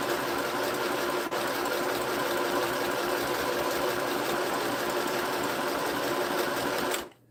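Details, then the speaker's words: Sewing machine (same model sold at Walmart), runs without the foot pedal once switched on; fast even whirring stitch rhythm about seven seconds, no knocking or binding, clean stop; sews normally. "Now, for some reason, I don't need the foot pedal, because as soon as I turn it on, starts going. Which is kind of handy, actually."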